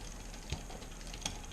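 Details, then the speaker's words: Bicycle rear derailleur being indexed, shift cable tension raised a quarter turn at a time with the adjuster: light metallic ticks over a soft spinning whir. Chain chatter from low cable tension, gone after another two quarter turns. "it's time to add some tension in and I can start to hear the chain chattering it's nearly ready to shift another quarter turn another quarter turn and it's gone"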